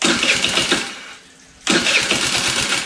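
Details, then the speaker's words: Scooter sitting for years: buzzy engine with rough ticking clatter from front valve train, dies when throttle dropped then picks up; owner wonders if valve loose, no broken valves found, may need valve adjustment at TDC. Tight valve clearance. "Hear all that ticking and clattering up front? We're gonna have to take the valve train off the front and see what's going on."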